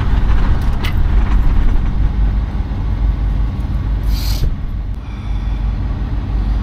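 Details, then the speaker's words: Diesel semi truck that won't reliably prime, with primer pump trouble: heavy diesel rumble with an irregular, lumpy beat that surges and sags; runs rough; owner says it seems starved for fuel, not confirmed. "it's like it's starving for Fuel Man"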